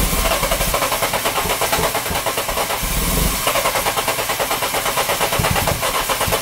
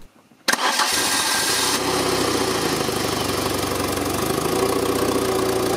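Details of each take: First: Citroën engine with camshafts mismatched to its ECU; loud, uneven chuffing and a big noise at the exhaust manifold, lumpy beat that briefly cuts out; live data normal, catalyst checked for flow; rough running. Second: Citroën C2 engine, mismatched computer and camshafts suspected, intake air opening modified: cranks, catches and settles into a steady even idle with no stumbles or knocks; normal idle.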